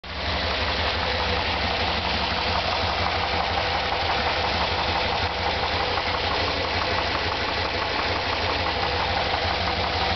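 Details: 1993 Dodge Dakota 5.2L (318) V8 at idle, recorded on the driver's side: steady, fairly regular knock of about three beats a second over the idle.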